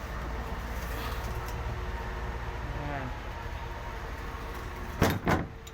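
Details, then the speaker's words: Manlift that won't start: two sharp clicks about half a second apart under a steady background rumble, engine never turns over. The starter is suspected faulty and will be removed and replaced. "Ayan mga kaibigan ito babaklasin natin yung starter kasi aya lang pumipitik yung ano niya ah may problema sa starter"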